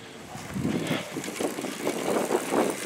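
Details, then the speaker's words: 15 HP 5-speed go-kart engine, first start attempt after clutch work with the exhaust bolted on: the kickstarter works poorly, so starting fluid is used; the small single-cylinder sputters and catches unevenly, firing only briefly; hard starting. "so Kickstarter isn't working too great so I'm going to try and use some starting fluid"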